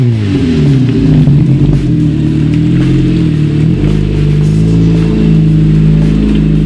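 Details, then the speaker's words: Opel Agila revving: a loud, raspy, blaring exhaust note swelling as the engine revs; the exhaust has rusted through and broken, needing replacement. "On entend très bien qu'il y a comme un problème au niveau de l'échappement, hein."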